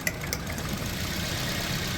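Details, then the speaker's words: Toyota Corolla pickup with code P0352 and heavy misfiring and jerking. Idle runs with an uneven, lumpy beat and an occasional stumble over a steady rumble. Misfire traced to the cylinder B ignition coil, whose wires are broken. "आपकी सिर्फ और सिर्फ B के कल का मसला है उसकी वायर टूटी हुई है ठीक है बस जब तक वो वायर जो है लगाएंगे नहीं हम लोग तब तक"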